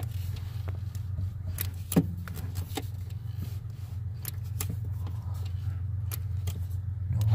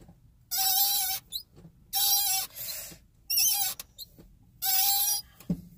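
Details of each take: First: Mazda Miata idling steadily as the clutch pedal is pressed to the floor after lubricating the pedal linkage with Teflon dry lube; only soft clicks, squeak fixed. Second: Car clutch pedal, engine off, after about ten minutes of driving: four sharp high rubbing squeaks, one per pedal stroke, from under the dash, starting only after driving and growing louder; squeaky clutch pedal.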